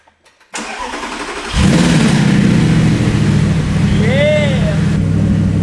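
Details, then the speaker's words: Maserati V8 supercar project in bad condition, first startup: starter whirs briefly, then engine catches and settles into a loud, deep, booming idle far louder than stock; owner suspects an aftermarket exhaust, unconfirmed. "is actually so loud i think there's a mil-tech exhaust on it but we'll find out"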